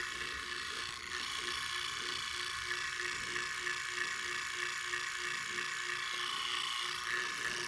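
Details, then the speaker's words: Leslie 147 bottom two-speed motor stack before rebuild, running as-is (fast motor): steady motor hum with a loose, uneven rattle about three times a second. Rough motor needing a rebuild. "well it ain't gonna be sounding like this when i get finished with it oh this bad boy gonna be purring sounding quiet smooth but i want you to hear it now this is the before okay"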